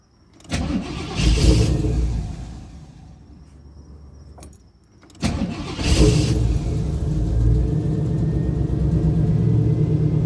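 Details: Chevrolet Camaro IROC-Z: starter cranks about a second and a half and fails, then a second crank catches and settles into a rough idle, a hard start.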